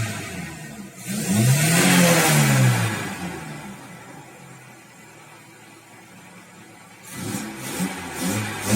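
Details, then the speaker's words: Audi 100 C3 1.8 with a Pierburg 2E carburettor after fixing its cold-start problem; the camshaft seal leaks and a knock is shown separately. It revs up smoothly, falls back and holds a stable 980 rpm idle without hunting. "Ну вот, пожалуйста. 980. Обороты держит стабильно."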